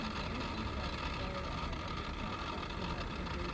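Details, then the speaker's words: Salvage-auction SUV just jump-started: engine runs with an uneven bubbling gurgle in the low rumble, running rough; cause unknown. "okay we've got a boost on it the engines making some very funky noises you hear this"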